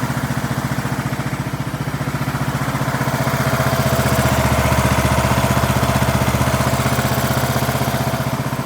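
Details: 2003 Craftsman LT2000 riding mower, 18.5 hp Briggs & Stratton Intek, restarted without choke: single cylinder thumps at a steady, even beat, about four firings a second; healthy idle.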